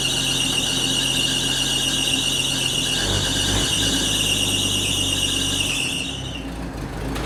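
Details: 1980 Chevy C10 square body pickup, long-abandoned, running after the fuel line was put back together: steady high shrill squeal rides over the idling engine the whole time, loose drive belt slipping on pulleys. Belt squeal.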